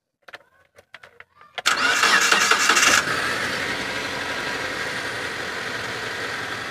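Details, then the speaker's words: 2013 Mitsubishi T120SS 1.5 pickup, cold engine in neutral: a few clicks, short crank, quick catch with brief flare, then even quiet idle with no ticking, metal or odd noises; normal cold start and idle. "udah starter Kita dengerin suaranya dari langsamnya itu masih normal-normal aja nggak ada suara yang janggal nggak ada suara aneh nggak ada suara metal nggak ada suara itik juga mesin masih alus"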